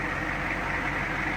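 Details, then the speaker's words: 1983 Ford F250 diesel, heard from under the hood: steady, even diesel idle with an unbroken low rumble and no knocks or misses; engine running healthy. "You can certainly hear that unmistakable diesel sound coming out from under that hood."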